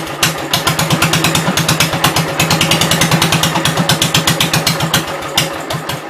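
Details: 1972 Gravely 430 single-cylinder engine running normally after fuel system restored up to the carburetor (small drip at fuel pump inlet): quick, even thumping with crisp exhaust pops, no knocks or big noises; high-low axle works, moves forwards and backwards.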